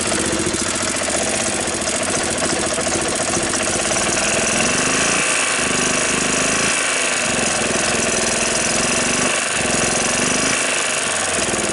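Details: 1993 Club Car golf cart single-cylinder engine after sitting over six months, carburetor and spark plug cleaned: runs steadily at a fast idle with a few brief dips; running normally.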